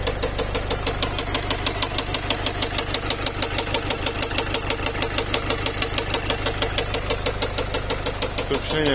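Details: Nissan X-Trail 2.0 dCi (Renault-built diesel) at idle: a sharp, even knock about three times a second after the engine stalled and restarted. The mechanic likens it to a piston hitting valves; spun bearings were suspected but ruled out, and a loose piece of metal was found inside.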